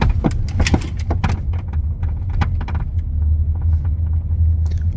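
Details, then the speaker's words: 2012 Volvo V50 D2 diesel: irregular sharp clunks and rattles over low road rumble, a loose-sounding noise from underneath caused by a broken front suspension strut mount, which is then replaced. "okay so that's the sound which sounds like something's loose in the car like a clunky [Music] sound"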